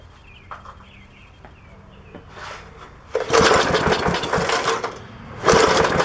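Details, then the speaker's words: 1966 Briggs & Stratton lawnmower engine, unrun probably 15–20+ years, point ignition, fuel poured in carburetor: fires in two ragged bursts then sputters out; spark lost again, points to be cleaned a third time. "looks like we've lost spark again yeah nothing on the spark plug"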